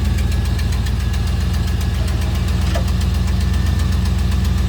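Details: Pontiac Trans Am V8 first cold-weather start: quick even ticking about four per second over rough cold idle; worn exhaust manifold gasket suspected as common cause, not confirmed.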